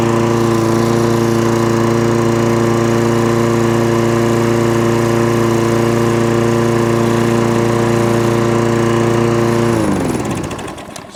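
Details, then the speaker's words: Toro Recycler lawnmower started on choke with the dead-man bail held: steady drone for about ten seconds, then suddenly dies away; cutting out. "what it's doing hunting a couple of hunting surge and cuts out"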